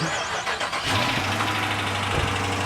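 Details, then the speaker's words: Dodge Charger Pursuit on delivery, before supercharger build: quick crank, fires right up and settles into a steady, even low idle with no knocks or misses; normal cold start. "Fired right up. Like this is in great condition. Yeah, it sounds good."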